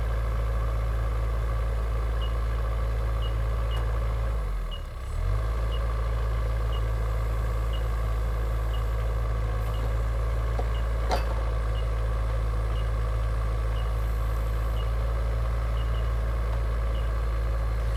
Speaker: now the sensors are ensuring that the exactly and now you heard the beeping noise and as soon as the quick itch is perfectly attached you don't hear the beeping anymore and you know that everything is in perfect condition